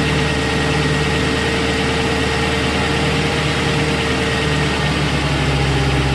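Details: 2001 Lincoln Town Car, Ford 4.6L 2-valve V8, cold idle: busy, clattery rattle over steady engine hum; teardown found timing chain worn through plastic and aluminum guides into tensioner piston; chain guides and tensioner replaced.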